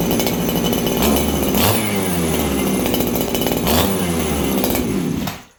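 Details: Farmertec 288 kit chainsaw after setting the low jet to about 1 turn: high buzzing run with a slight uneven bobble in the revs before shutoff; still a little on the lean side.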